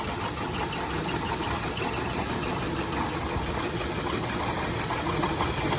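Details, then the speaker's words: 2000s Hyundai Accent petrol engine at idle with a misfire: running rough, worse when an ignition coil plug is pulled, stumbling about twice a second; the bad cylinder's coil shows no change. "so pop this little tab off you can see how the motor is running and when i pull it you see how it gets worse"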